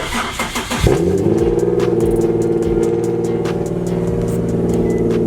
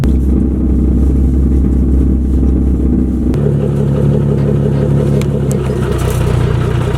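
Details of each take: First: Nissan 370Z after a DIY hose-clamp fix for an exhaust rattle that had appeared at idle after cold start. It now starts and settles into a steady, even exhaust note with no rattle or buzz. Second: Nissan 370Z with loud exhaust at idle; deep steady idle with buzzing rattle from exhaust hitting the mid subframe, heard in cabin and outside, worsening with driving.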